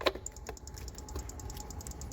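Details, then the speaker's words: Diesel hotshot truck after a built valvetrain and head stud install, engine off at key-on: faint, quick light ticks as the injectors click normally once the two injector harnesses are plugged back in. "There's one injector harness. You can hear them clicking. And injector harness number 2."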